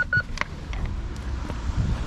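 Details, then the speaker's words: BMW E46 320ci coupe after parking sensor replacement and bumper trim refit: a few short clear high beeps, likely because the camera is close to the sensor; normal parking sensor warning. "This beeps most probably because the camera is close to the sensor. Yes, it works."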